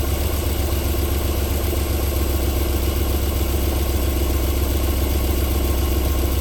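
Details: 1994 Alfa Romeo 3.0 24v QV engine, cold start-up idle holding a smooth, even low hum with no knocks or misses; a normal idle, with knocking returning after about 4 minutes.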